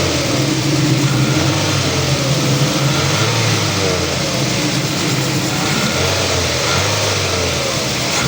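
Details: Toyota XLI after manifold replacement to fix a loud engine sound: revs up and settles smoothly with an even, quiet note and no knocking, ticking or exhaust-leak puffing; sounds healthy.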